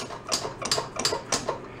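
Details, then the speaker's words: Rat rod quad's hydraulic front drum brake being checked before repair. Turning the wheel by hand gives a light, sharp click about twice a second, like something mechanical loose inside the drum. The owner suspects the brake shoes may be missing; this is not confirmed. "mechanical something inside the wheel"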